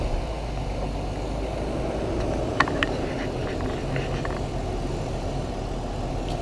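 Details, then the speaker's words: BMW 328i E46 straight-six, cheap used car at a test drive: even, settled idle with a smooth low hum and a couple of stray clicks; sounds healthy, though the car later begins running warm. "sounds good to me"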